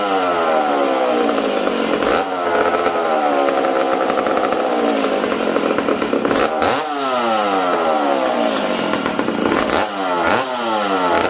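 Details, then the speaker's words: McCulloch Super Pro 70 chainsaw, reassembled after fuel tank repair, carburettor tuned for -20 and run indoors with the low needle 1¼–1½ turns out: screams at high revs but sags and burbles every few seconds; mixture too rich. "this thing's too rich for being inside right now"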